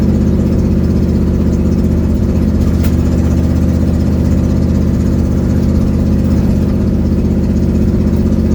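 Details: Ford Mustang 1972, driving home at cruise with an exhaust leak, phone mic on the dash: steady low rumble with a coarse puffing pulse about four times a second.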